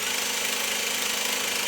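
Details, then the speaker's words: Sony EVS-5000 Hi8 deck, reassembled; steady, even high whir of tape spooling in full fast forward with no stalls or catches; the usual fault of the take-up spool stopping is not occurring now; normal fast forward. "anyway that's how it's supposed to uh run"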